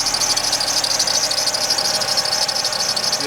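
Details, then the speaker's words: Alfa Romeo Spider 916, left-hand drive, just started cold after new crank sensor: high thin chirping squeal pulsing about twice a second over quiet idle, engine running sweetly, idle to drop to about 900 rpm warm; auxiliary belt squeak, new belt probably to be fitted. "belt. I'll probably put a new one on. But it's running sweetly and it will tick over once it's warmed up."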